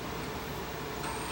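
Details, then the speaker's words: Old Panasonic PV1730 VCR playing: quiet constant whirring hum with faint whining tones from the take-up spool motor, which is noisy; owner suspects a faulty Hall-effect sensor in the motor. "that's the takeup motor for the takeup spool it's noisy don't know why don't care probably one of the hall effect sensors is not working properly that's more than likely what's what the problem is"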